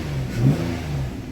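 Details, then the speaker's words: Nissan Maxima after fixing P0078 exhaust valve control solenoid circuit fault, codes cleared: quick clean rev climbs and drops back smoothly with no stumble; before the repair it wouldn't rev up well, now revs freely. "Oh yeah, that's a lot better, because before it wouldn't even rev up that well."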